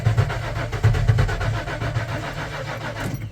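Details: Tow truck after sensor replacement including MAP sensor: fuel pump runs continuously; short burst of even chugging cranking never fires into a run; cranks but won't start, traced to the engine computer.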